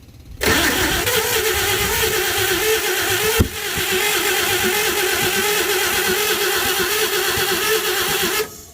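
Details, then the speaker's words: 1952 Chevy engine cranking steadily about eight seconds with a brief hitch but never firing, after fuel was poured in and the fuel pump refitted; owner doubts the fuel pump delivers fuel, and the float may be stuck shut. "uh i really find it hard to believe that that that fuel pump is getting anything in there"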